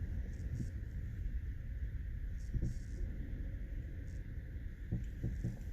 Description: If you hear this popping sound as you drive over rough roads in your Lincoln MkT, you've got worn out sway bar linkage.